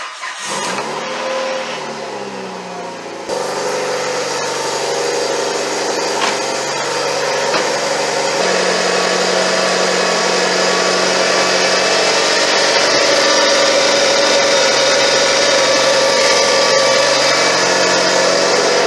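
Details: Evo 8 with about 100,000 miles, first start after installing an FP Red turbo with dump-to-atmosphere wastegate: cranks, fires and settles to a loud idle with airy hiss and fast chuffing from a leaking wastegate.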